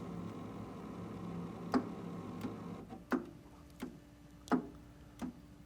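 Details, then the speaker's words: Water heater showing ignition failure code 111 or 121, power cycled off about five seconds then on: three pairs of sharp clunks as the three gas valve stages self-test opening and closing, a normal sound. "so there's three sets of Klunk Klunk s-- and what that is is that's the three stage sections of the gas valve testing themselves opening and closing"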